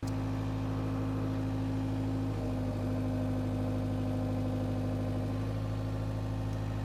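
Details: Power Trac 1850 diesel tractor after fluid changes, with mower: even diesel drone stepping up and down smoothly as load changes, no knocks or misses; normal running.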